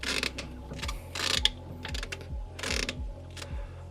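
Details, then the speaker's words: B20 Honda Ballade front wheel turned by hand with CV boot out: rhythmic clicks and scraping rub each turn, wheel vibrating; owner suspects broken CV joint rather than diff, cause unconfirmed. "Something's definitely not right here. The wheel is vibrating so much just by me turning it. Maybe the CV book. There's a lot of noise coming from here. Maybe the CV broke."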